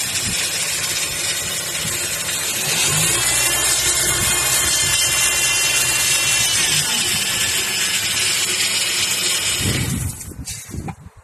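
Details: Harsh high-pitched whine over the idling engine, near the alternator, from a faulty power steering pump; check for bubbles in the fluid reservoir and whether the noise changes when turning the wheel while stationary.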